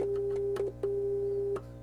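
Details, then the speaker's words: Hammond M3 organ amplifier during service, test tone injected through a homemade probe into each input: clean, steady mid-pitched tone without hum or crackle; all inputs working properly. "and you can hear the different so all the inputs are working properly a real low input there so it's all good"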